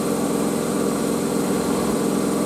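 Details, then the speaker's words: Miele W562 Prestige Plus front-loader washing a bedding load on Cottons 95°C, spinning at 1300 rpm. An even, steady high whirr with no knocking, rubbing or thumping; a normal, healthy high-speed spin. "this 1300 is the speed is like quite weird for me because it's like yeah it's quite fast"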